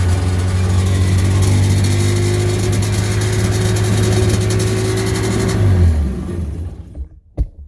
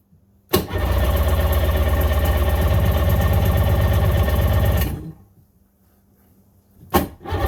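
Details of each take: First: 1996 Sea-Doo GTI rebuilt engine out of water, idle adjusted to about 3000–3100 rpm (the target, giving about 1500 rpm in water). Steady, even, smooth buzzing high idle with no hunting or misses, then shut off. Idle correctly set. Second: 1996 Sea-Doo GTI rebuilt engine on first fire-up, out of water, idling at about 1400–1450 rpm with a low, lumpy beat that dies and refires. Idle is too low; the target is about 3000 rpm out of water, giving about 1500 rpm in water.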